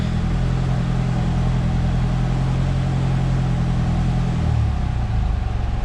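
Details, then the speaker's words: Dodge Neon SRT4 first start, foot on the gas: heavy deep rumble, uneven and shifting, not settling; codes read engine temperature circuit high, O2 control circuit, O2 sensor and idle control; cause unconfirmed. "all right we got a first start it's running my foot's on the gas but it's doing some funky stuff see"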